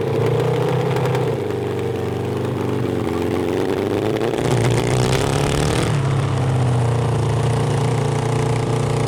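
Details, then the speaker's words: Honda CB750 750cc engine in a cross kart, which breaks up above 7,000 rpm under heavy load, run warm after drilling the emulsion tubes and jets on the stock carburetors: revs rise and hold but waver and stumble, worse than before. Carburetor breakup from wrong jetting. "remember it was running bad it had to warm up [Music] [Music] crap we made it worse we made it worse okay well it's a good thing we have spare jets yeah and emulsion tubes"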